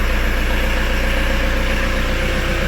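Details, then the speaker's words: VW T4 Transporter 1.9 TD van bought at auction after standing, first start just after a new ignition barrel was fitted, not yet warmed up: steady, even diesel clatter at idle with a regular low thump and no misses. Noisy after standing but running well. "techical 1.9 TD noisy but it's running well [Music] okay that changes things so yeah they're always noisy when they start these especially if theyve been left the one 19 TD"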